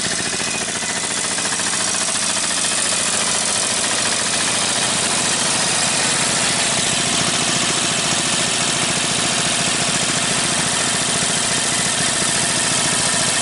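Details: Briggs & Stratton 18hp opposed-twin with dual carburetors and dual exhaust, new transplant in a go-cart, warm restart running out the gas: steady, even twin beat with loud exhaust hiss, no knocks or stumbles; normal running, starts better than previous 10hp.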